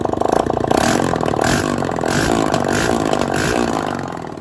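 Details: 160 cc single-cylinder motorcycle used for ride-hailing, which was previously hard to start with a terrible noise and a scored cylinder: after repair, running and blipped with no exhaust fitted, loud but firing evenly with no knock. Normal idle.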